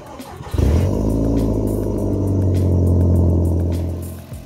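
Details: Audi TT 225 turbo engine after fitting R8 upgrade ignition coil packs and new spark plugs to cure a misfire (violent stutter under boost, lumpy part-throttle): starts quickly and settles into a steady, even low idle with no stutter or missed beats, healthy and smooth.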